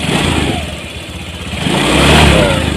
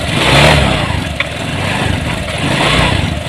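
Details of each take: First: Honda Vario 150 scooter, previously dead and not starting, after throttle body service and ECU reset with idle set around 1600 rpm, AFR target 14.67 reached: idle then a clean throttle blip rising and falling smoothly, no misfire; normal revving. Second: Honda Vario 150 scooter pushed in after being dead three days and often stalling: uneven revving with faint crackle and stumble as the spark plug cap shorts to the body and leaks spark.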